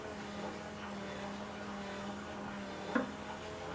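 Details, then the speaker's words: Porsche 928 Bosch K-Jetronic fuel system, fuel pump jumped, flow shut off by pushing the distributor plunger: steady low electric drone at one even pitch with no surging; pump laboring against shut-off flow but normal. "i can hear the pump really like laboring now when there's no when everything's sharp"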